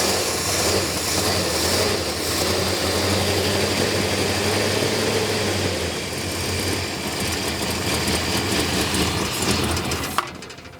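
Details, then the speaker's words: 1969 Dodge Charger General Lee, sitting for many years after a repaint, first start: loud, lumpy idle with an uneven beat and wandering speed; it is charging; idle or timing suspected set too low and carburetor needs attention, unconfirmed. "we've got a couple things fighting us but it did try to idle um I think the idle or the timing is probably set too low"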